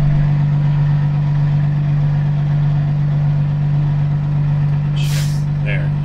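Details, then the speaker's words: Peterbilt 379 diesel truck idling, door open, air dryer pops as pressure hits 120 psi governor cut-out; steady idle then one sharp hiss-pop about five seconds in; normal air dryer purge. "you heard him so that's the air dryer pump so we hit 120 pounds so it's doing what it's supposed to"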